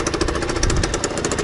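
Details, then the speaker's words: Beta 50 RR two-stroke moped after repair, at standstill: quick even popping idle, no rumble; earlier bearing noise gone after replacing dead bearings. "vous devriez vous rappeler le gogo bruits de roulement qui avait dessus voilà il a totalement disparu c'était bien bien les roulements de vélo qui était mort"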